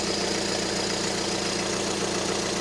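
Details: 2012 VW Passat 2.0 diesel after removing seized AC compressor and fitting new parts: steady, even, quiet idle with no knocks, squeals or rattles; engine healthy.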